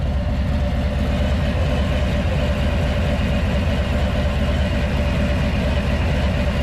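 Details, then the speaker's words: Harley Low Rider S V-twin at idle, just fitted Dark Horse Crankworks Man O War compensator: loose marble-like rattle over steady idle thump; compensator rattle, owner thinks it depends on runout and clutch basket-to-comp spacing. "But it sounded like it was like a whistling sound. Now it just sounds like you have like marbles in your pocket. That's what it sounds like."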